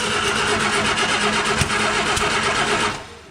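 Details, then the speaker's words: 1959 Austin Healey Sprite, first start after rebuild; cranking about three beats a second with a couple of sharp pops spitting back through the carburettor filters, proving spark; ignition timing suspected out. "It spat back nicely a couple of times through the filters. So the timing could be way out, but at least it spat. So that means we've got spark."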